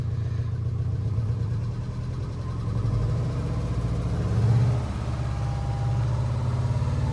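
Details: 2009 Subaru Forester X, naturally aspirated EJ253 flat-four, idling just after an in-car valve clearance adjustment: a smooth even idle with small swells in speed and no valvetrain ticking. Some smoke is burning off from valve cover work; a normal idle.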